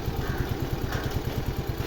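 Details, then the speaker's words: Fascino BS6 scooter that wouldn't start on self or kick, after injector line check: steady evenly spaced low thumps at fast idle, no stumbles or knocks; normal idle. "അങ്ങനെ നമ്മുടെ വണ്ടി start ആയി പ്രശ്നങ്ങൾ ഒന്നുമില്ല"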